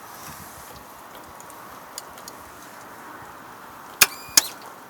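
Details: 2005 Kawasaki ZX6R 636: pressing starter button gives two sharp clicks, no crank; starter tested good, brand-new fully charged battery.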